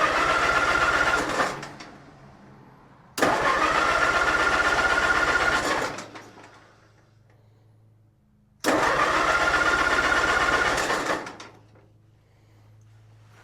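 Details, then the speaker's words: Allis-Chalmers C tractor with Woods L59 belly mower, first start of the year, little gas, battery hooked up, no choke, parked nose up: three long fast cranking bursts that never catch; cranks but won't start, maybe needs choke. "Maybe today she needs choke."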